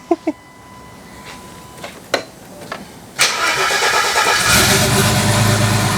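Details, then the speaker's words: Cold start at about 30° with wideband O2 and 10% ethanol: clicks and cranking, then an uneven, lumpy, unsteady rough idle; vacuum leaks remain, running rich, throttle body needs opening more. "we still kept vacuum leaks which means that we need to plug them and also open up the throttle body a bit more we are rich"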